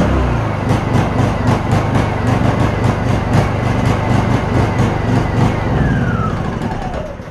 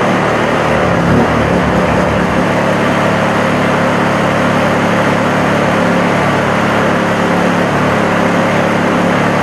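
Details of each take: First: Honda EU2000 inverter generator with a new carburetor whose jet was drilled oversize: the engine note swells and sags in an uneven hunting rhythm; it surges from an over-rich mixture and runs better on choke. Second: Honda EU2000 inverter generator after the over-drilled carburetor jet was reworked and its hole opened up: steady, even drone with a constant low hum and no surging; running much better, though it may have a few other issues.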